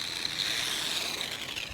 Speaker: t just sounds like the most classically grinding Gears of death that's just mainly the pinion of spur gear and plus the gears are starting to kind of strip a little bit